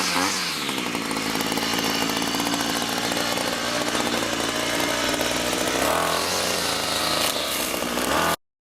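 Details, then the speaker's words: Ryobi string trimmer after carburetor swap (old primer bulb cracked, fuel lines disintegrated); idle screw fine-tuned, steady high buzz with brief throttle blips then clean cut-off; idles without running too fast or stalling, running normally. "it should idle without it going too fast or too slow and stalling"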